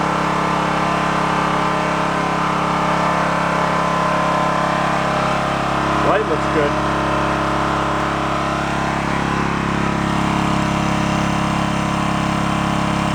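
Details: Onan K450 small portable generator, long-stored yard-sale unit, started on choke during air-fuel mix adjustment: steady, even drone with no surging or misses; runs smooth and healthy.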